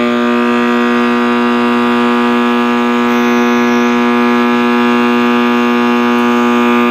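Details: 1960s General Electric black-and-white tube TV, back off and plugged in while warming up: a loud, steady howl from the speaker with a strong low hum that never wavers; the audio appears to be feeding back or oscillating, cause not yet known.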